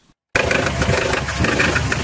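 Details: Car engine running with an uneven bubbling, gurgling pulse instead of a clean idle, noise seeming to come from low down rather than the top; suspected air-fuel mixture or electrical fault, not confirmed.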